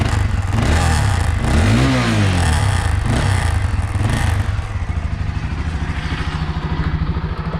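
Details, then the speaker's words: Honda CB Twister motorcycle revving then idling: loud metallic clatter over the engine, from the loose rear license plate rattling. "quando começou esse barulho eu achei que era algum problema mas depois eu fui para o almoço assim para ver onde estava eu descobri que era na placa rapaz dela"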